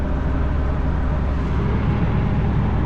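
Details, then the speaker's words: 1990 Fleetwood Bounder motorhome with a Chevrolet 454 big-block V8, heard inside the cab after the ignition timing was adjusted: a deep, even idle rumble with no misses; sounds better and quieter. Owner thinks the starter may be failing. "But it sounds better. I think the timing is, I think we do have the timing much better now."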